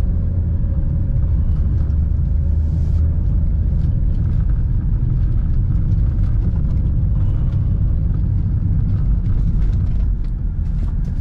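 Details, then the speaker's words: Test drive after tightening the front suspension to cure the customer's front clunk, brakes also checked: only a low, even road rumble over potholes with no clunks or knocks from the front. The rear still makes some noise. "Papansin niyo kung may tunog yung pangilalim. Ayan, wala na. So wala na talaga siyang lubak."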